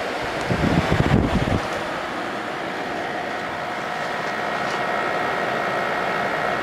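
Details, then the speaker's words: 1988 Fedders Cool Tote Slim 5000 BTU air conditioner in 50s°F weather: brief knock at start, then low, steady, even compressor hum with faint fan hiss; compressor remarkably quiet, runs smoothly before shutting off, healthy. "I can't believe how quiet that compressor is."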